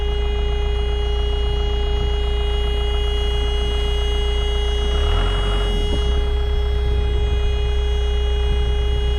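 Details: Kobelco SK120LC Mark V excavator, about 12 tons, around 7,000 hours, diesel started on the key after ignition wiring repair: deep, steady rumble at even speed under a constant horn or warning-buzzer tone; runs smoothly.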